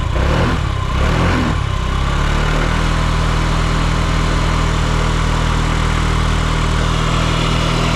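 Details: Yamaha Gear scooter (UA08A-0315) running check: a couple of throttle blips, then smooth, even low idle, no knocks, ticks or rattles; quiet, healthy engine.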